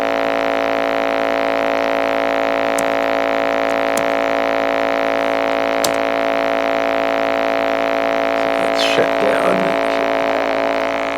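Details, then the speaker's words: Toshiba Satellite 2595CDT laptop with past corrosion damage: loud, constant droning buzz from the speakers that builds up after a while and ignores the volume wheel, gone when the left speaker is unplugged; left speaker wire grounding causes the noise. "so you can clearly hear the problem there and as I say if I disconnect the left speaker from the system board that problem goes away and we can just get audio without any issue from the right speaker"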